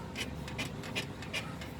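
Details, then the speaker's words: 2011 Mini Countryman on a lift, rear stabilizer link rocked by hand: rhythmic dry creaks, the creak-and-crack noise heard from the rear on unpaved roads and speed bumps; worn-out stabilizer link bushing, replaced. "소리 들리시죠? 그러니까 지금 혼자 있어서 한 손으로 하는데도 이렇게 소리가 나요. 이 소리가 이제 비포장 도로나 관제타 넘을 때 이게 소음이 많이 나시는 거예요."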